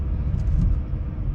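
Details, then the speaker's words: Volvo V70 road test after replacing a strut top mount that rattled over bumps, ventilation off, on a smooth road: only a smooth low road rumble at steady speed, no knocks or rattles; quiet suspension. "gar nichts das war nobel"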